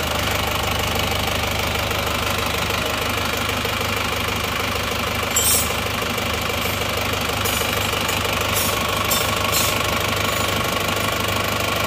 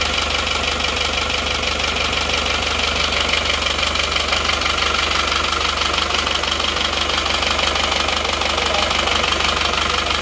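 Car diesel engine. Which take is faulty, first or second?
second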